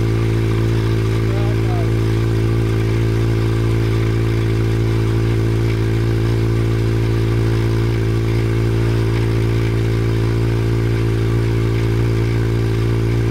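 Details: Honda CB700 Nighthawk S project bike starting on its own newly charged battery, running about a minute before fuel ran out: steady, even tickover with smooth low beat, no misses or knocks; normal idle.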